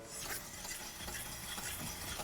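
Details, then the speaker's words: Renault 5 GT Turbo rear wheel spun by hand on a ramp after the car sat parked. A soft, even whirr with slight brake disc brushing and no grinding; normal wheel bearing. "and that sounds all right there's a bit of disc noise in there but car has been parked up while it's been having the Ed work done so yeah that's all right"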